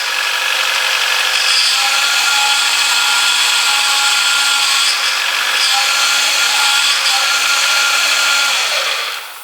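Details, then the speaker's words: Ford Focus power steering being bled after a completely empty system, wheel turned lock to lock: steady high whine from air in the pump that quietens and fades as air purges; fluid topped up. "and that noise will eventually get quiet and quieter and eventually go"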